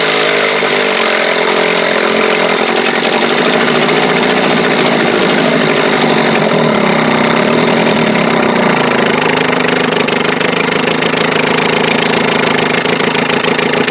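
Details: 1948 Sea King 5 outboard made by Gale, about 75 years old, carburettor rebuilt, coils and points swapped, probably first run in a long time: busy, crackly two-stroke buzz at steady speed, rapid even firing, no knocks or misses; normal running.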